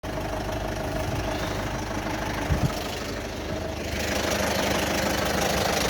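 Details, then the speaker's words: Citroën Berlingo 1.6 HDi diesel after new turbo and full service: loud clattering bag-of-spanners knock over rough idle; oil warning light came on, low oil pressure, owner suspects clogged filters or a blockage, unconfirmed. "okay so now i've got um an engine which sounds like a bag of spanners and the oil warning light came on a couple of days ago"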